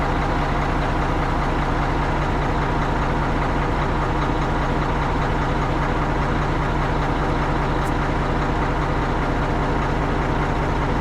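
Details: Tri-axle dump truck diesel after a roughly $5 no-start repair (dead battery diagnosed with a load tester, dielectric grease used), steady even idle with a smooth low rumble, no misses, knocks or hunting; running healthy.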